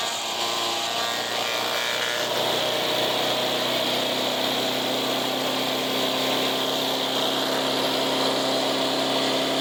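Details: Resurrected direct-drive wood chipper, 90s engine with adapted 50s carburetor, warmed up: loud, steady roar with knives spinning evenly, holds speed without surging or missing; runs well but owner couldn't make it quieter.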